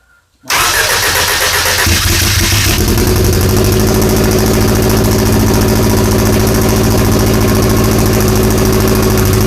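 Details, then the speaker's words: Fueltech-run Audi big-tire drag car on its first fire-up, with only 16 psi oil pressure: catches quickly, then a lumpy, uneven stumbling idle running on about three cylinders. "i don't think we're running on all four cylinders i think we're running on like three"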